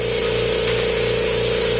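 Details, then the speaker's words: Kobalt vertical air compressor that sat in a barn and would not start, plugged in after repair with a roughly $30 part: steady motor hum with constant pump drone, no stalling or labouring; runs normally. "It works."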